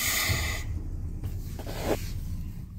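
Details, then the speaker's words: 2001 Chevy S10 at idle, brake pedal pressed, reverse selected: sharp hiss over idle that stops when the pedal is released; large vacuum leak at the brake booster; engine nearly stalls at stops and brakes barely hold. "Si escuchamos una fuga de vacío grande en lo que es el booster, vamos a echarle reversa."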